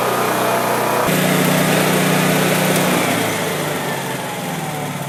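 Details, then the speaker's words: Honda EB3500 generator revived after purchase: buzzy single-cylinder note steps up then holds a steady, even drone with no hunting or sputter; earlier smoke thought due to slightly overfilled crankcase; runs healthy. "okay shout out to honda honda you're incredible the goat so all that smoke blowing out of there must have just been because that crank case was a little bit filled"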